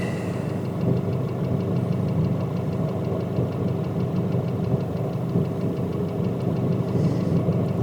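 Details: Nissan Pathfinder/Navara YD25 diesel at idle, fitted with Chinese injectors, cylinder power balance tested via Consult; sensor on the injector fuel supply line picks up a sharp, regular ticking knock steady with engine speed: injector knock, not valves.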